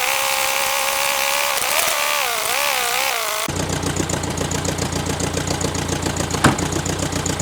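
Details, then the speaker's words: Air-cooled VW Beetle idling just after starting from seven months of storage, needing an oil change and a carburetor replacement: light, steady tapping with an occasional small misfire stumble. "You can obviously hear the engine tapping and missing a little tiny bit."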